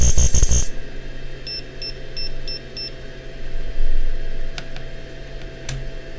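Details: DIY UPS aiming for 1 kW output, inverter under load after gate-drive tuning on the battery module: loud harsh buzz/squeal cuts off abruptly, then low hum and beeps as the UPS watchdog reboots; inverter fault, cause unknown.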